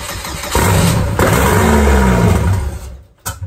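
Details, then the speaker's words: Turbo Chevrolet Cavalier first start after new wiring: engine catches roughly, revs unevenly, then dies with sharp pops and a flame from the exhaust; backfire. "[ __ ] backfires I already have to get it running we already [ __ ] started it"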